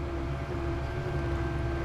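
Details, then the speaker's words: Land Rover Discovery Td5 diesel, key on after sealing a fuel leak with PTFE and cleaned copper washers: faint, steady hum of the fuel pump priming evenly as pressure builds; no leaks now. "I can hear the fuel it's obviously filled up what we've dropped out cuz that's why the pressure is built up on the noise but we got no leaks"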